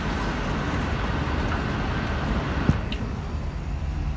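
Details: Payne air conditioner indoor air handler in closet, started by setting thermostat to 75 for cooling: blower comes up to steady, even rushing airflow, no squeal, rattle or grind; normal startup.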